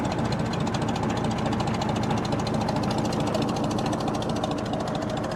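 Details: 1937 Oliver Hart-Parr 70 tractor at low idle with 23–25 psi oil pressure, microphone near the exhaust pipe. Slow, even thumping of about three beats a second with no knocks or misses; steady, healthy normal idle.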